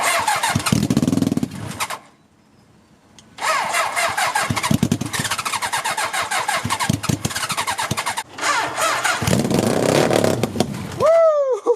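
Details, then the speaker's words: Half-scale NASCAR kart with a 750cc four-cylinder motorcycle engine, abandoned outside four years, first start on starter fluid: fires and buzzes ragged in short bursts, cutting out, maybe starting to pull fuel near the end; owner suspects clogged carburetors, no fuel delivery. "I normally don't recommend spraying starter fluid in but I had enough of hearing it run like that I want to hear this thing rev up and run for a little bit and it kind of started like it might have started pulling fuel just a little bit towards the end"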